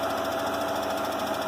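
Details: 2005 Hyundai Santa Fe 2.7 V6, first start after standing seven years, once the perished fuel line was replaced with 7mm hose and it was jump-started from another car. Even, steady idle with a light mechanical patter and faint tone, no misses; no fuel leaks.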